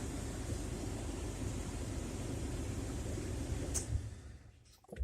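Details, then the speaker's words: 1999 Jeep Cherokee with a newly installed Compustar remote start: the engine idles evenly, then dies cleanly when the brake is pressed, so the remote-start brake cutout works normally. "Now let me test the brake light. When you mash your brake, it's supposed to kill the motor out."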